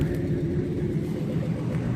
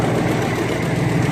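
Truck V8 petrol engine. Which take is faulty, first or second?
second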